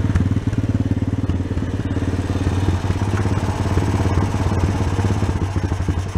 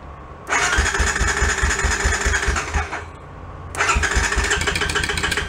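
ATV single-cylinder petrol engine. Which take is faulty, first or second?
second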